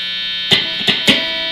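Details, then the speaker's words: Guitar with a DiMarzio Chopper T pickup, rewired with green as hot after red had been hot; switched to the neck pickup, a steady low mains hum sits under three plucked notes, the normal single-coil hum, while middle and bridge positions are silent. "I'm going to switch it to the neck and immediately you can hear the hum"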